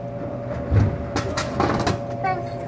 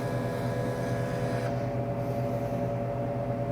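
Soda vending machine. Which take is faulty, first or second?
second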